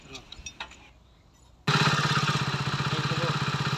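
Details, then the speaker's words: Hero HF Deluxe BS6 after timing chain replacement, side-play setting (about 0.5) and tappet setting: small single settles into a steady four-beats-a-second idle with no rattle or chatter; earlier ticking/jhar-jhar noise gone, sounds healthy. "Engine की जो sound है वो किस तरीके से आ रही है पहले क्या था गा बहुत ही ज्यादा झ कक जैसा साउंड आ रहा था पर अब उस तरीके से बिल्कुल भी नहीं है"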